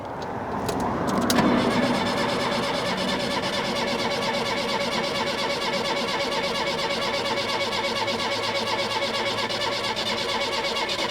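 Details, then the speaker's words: 1976 Peugeot 204 that sat in a shed about 10 years, on old fuel with choke and a new starter: starter churns steadily about three turns a second for ten seconds, never firing; crank no start, no fuel reaching the carb float bowl. "not getting any uh not getting anything in the bowl there"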